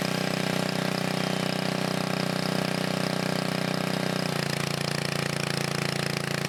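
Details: 1980 Montgomery Wards 2200 W generator, Briggs & Stratton 5HP, after NOS block swap and carb rebuild, no smoke; steady even single-cylinder drone settling to a slightly lower note as governor catches: running properly.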